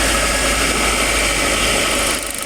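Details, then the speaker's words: Suzuki APV after the failed ignition coil was replaced with a new original Suzuki coil: a steady, even idle with no stumble or rhythmic shake over a hissy background. Engine vibration is gone; normal idle. "it's good my engine viers is gone"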